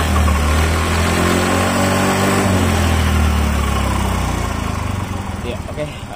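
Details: Yamaha Mio Fi 125 scooter after repair of a sudden refusal to take throttle: steady, even low idle, then a light throttle blip that rises and settles cleanly; running smooth and healthy.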